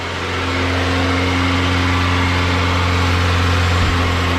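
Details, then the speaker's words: First start of a Honda B16 swap with no coolant yet and the engine cold: a steady, even idle hum sits noticeably above normal idle speed because the empty cooling system keeps the engine idling high. "I just want to see where the idle's at. It's kind of high right now because, again, there's no coolant in it."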